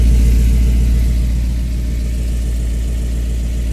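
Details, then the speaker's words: Truck with a new reman 1969 351W V8, with Flotek 180cc heads and Comp 255 DEH cam, replacing an engine with a bent cylinder 5 connecting rod; deep even burble at idle, steady rhythm, no misfire anymore. "amazing. It doesn't misfire anymore."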